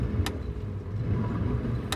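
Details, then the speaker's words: 2015 Whitmarsh RS7 RIB, Evinrude G2 E-Tec High Output 200 hp petrol outboard revved in neutral: deep even rumble with no misses, knocks or rattles, a healthy engine. "some revs, just in neutral, and press the neutral button again, it comes out of gear."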